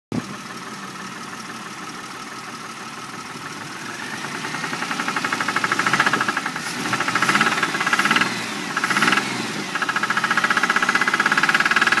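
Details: 1999 Grand Prix with a worn engine: it builds from quiet to a rapid, uneven deep knocking that grows louder as revs rise, a rod knock from the bottom end.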